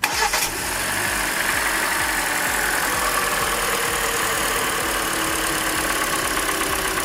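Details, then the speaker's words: Hyundai Elantra 1.8 engine at idle after start: fast light ticking under steady idle, still present; injectors about to be disconnected one by one to find the cylinder, source not yet identified. "still ticking noise."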